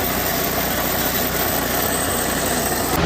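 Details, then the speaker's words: Toro TimeMaster mower running: loud dense metallic rattle/clanking as blades slowed, from failed blade spindle bearing, with excessive play in the main pulley. Fix is replacing spindle bearing, shaft and spacer. "The bearing spindles will go out, causing this loud rattle and showing excessive amount of play in this main pulley over here."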